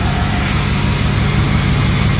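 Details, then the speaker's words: 2005 truck, fully cold start at about 73 degrees after the remote start was removed, previously failing to start in the rain: fires right up into a steady, even low idle with no misses, knocks or ticks; normal idle. "let's see it is all the way cold there we go okay fired right up"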